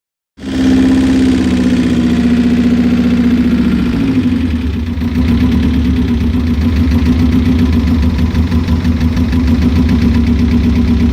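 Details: Subaru Impreza GC8 boxer petrol engine idling unevenly with a stumbling beat, suspected misfire at idle.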